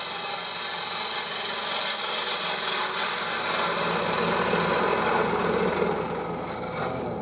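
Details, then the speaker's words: Bowl gouge turning wood on a lathe, cutting cross grain from largest to smallest diameter: rough uneven rasping scrape that buzzes harder across the grain; tool chatter. "You hear that vibration uh as I come across the engine."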